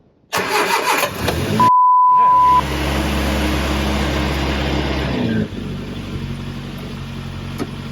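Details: Triumph Herald 13/60 with freshly rebuilt Spitfire-spec engine, first start on choke after static timing set: cranks, catches, settles to steady even idle dropping slightly after seconds; slight exhaust leak and water leak from rear head core plug. Normal running.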